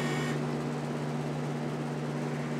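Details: Miller CP-300 welder bought untested at auction, with a new MIG gun and an .045 tip fitted: steady, even low hum from the wire feed motor with no catches or speed surges. Normal wire feed motor running.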